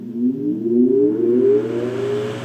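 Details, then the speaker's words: 1925 Emerson Jr 9-inch antique desk fan, shaded-pole motor with hollow-shaft circulating oil bearing, restarted after spin-down: smooth tone climbing steadily in pitch as it spins up, no rattles or scraping; healthy startup. "yeah that just sounds like money to me"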